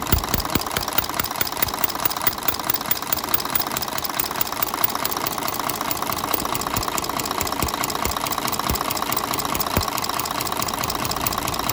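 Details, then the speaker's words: Mercedes Axor truck, OM457 diesel engine, idling after valve adjustment; steady, sharp valvetrain tapping, with valve clearance growing again after start-up, traced by endoscope to a roller tappet turned 90 degrees and worn. "bundan önce valf açıklığı normale dönmeden önce fark edilir derecede arttı . motoru çalıştırdıktan sonra tekrar artırıldı"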